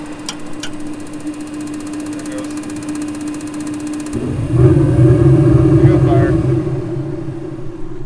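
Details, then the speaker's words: Old Hydro Flame furnace in a restored Barth motorhome, smelling of burning bugs: a steady hum, then the blower spins up and the burner lights into an even rushing roar with no rattles or scraping; normal operation. "again the smell of burning bugs but it's working we got blower sounds good burner's working"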